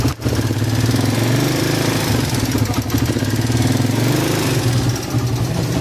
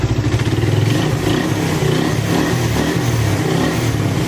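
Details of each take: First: Suzuki Raider 150 single pushed in from Tagaytay, tested at the shop before repair: steady idle with a light, fast tick riding over the exhaust beat; ticking noise, cause not yet found. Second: Suzuki Raider 150 single after shop refresh, warming up: steady, fairly even low thump with no knocking or rattle, now quieter than before the work; healthy warm-up idle.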